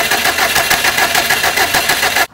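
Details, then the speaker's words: Subaru STI with cylinder 1 and 4 misfires during a compression test, spark plugs, coil packs and fuel pump relay removed: fast, even whirring crank with a regular pulsing beat and no firing; engine cranking. "then you turn it on crank it and it won't turn over because you have a spark plug and coal back out but it'll just crank"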